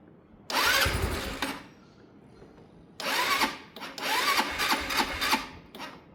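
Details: Sinnis Harrier motorcycle, brand new carb, new fuel pump suction line, boosted battery: two bursts of ragged cranking and firing that catch briefly then die; won't start or take revs on startup, cause not confirmed.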